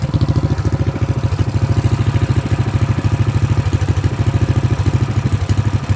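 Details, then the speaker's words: Predator Max Performance 224cc single-cylinder engine, which previously would not idle, after valve cover removal and valve lash adjustment: a steady, even thump at a fast, settled idle with the choke off. Normal idle, problem solved. "It's idling, the choke is off. I think our problem is solved."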